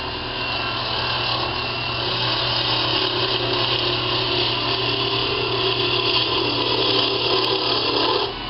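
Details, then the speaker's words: Wood lathe turning fishing-rod handles: steady rasping, scraping hiss of chisel on spinning wood over a faint motor hum, cutting rough and labored; owner suspects the chisel is dull. "my chisel is probably pretty dull it should be cutting better than this"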